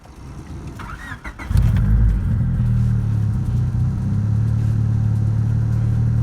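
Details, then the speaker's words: 2000 Honda Civic EX coupe, 5-speed, VTEC D16Y8, turbo build with chipped ECU, just after replacing a cheap MAP sensor with a Sparkks Racing 3-bar MAP sensor: catches after a short crank and settles into a steady, even idle; normal start and idle. "That actually did seem to help it a lot. Now it actually seems to be somewhat running right."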